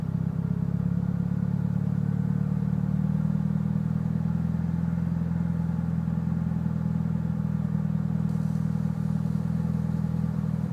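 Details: Mitsubishi Evo VIII with cams, tuned, MAF and intake cleaned, regularly serviced: petrol engine idling with a deep, uneven, lumpy pulse — rough idle, cause unknown to owner.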